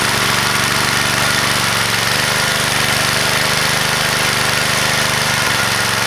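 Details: Vintage (likely 1970s) McLane edger with a Briggs & Stratton single, revived after sitting about 14–15 years, gives a loud steady buzz at even speed, no misses or surging; runs properly, though it needs a new blade.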